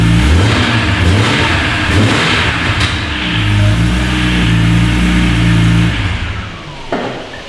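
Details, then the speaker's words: 2003 BMW E46 M3 CSL after replacing the broken SMG motor with a Burkhart upgraded kit: the engine revs and eases off cleanly as the car moves off, and it engages forward gears and reverse with no clunks, no dash faults and no cog light. "It goes into forwards gears and reverse. Everything seems to be working nicely. No faults on the dash."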